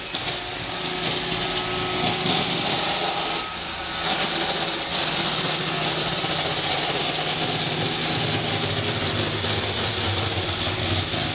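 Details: Roomba 560 robot vacuum running on hardwood floor: loud, harsh, steady rattling hiss over the motor hum, cause unclear; quiet on carpet, and an earlier Roomba Discovery was quieter on the same floor; owner later fixed it.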